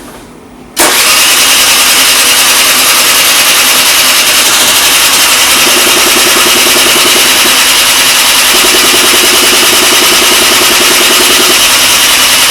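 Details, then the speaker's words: Honda Dio 27 scooter with compression and spark present and a wet plug: the starter spins steadily but the engine never fires, because the fuel pump is not delivering fuel; the pump was replaced and the carburetor cleaned. "або не качає бензинбо добре бензин не качає або бензина якась не знала"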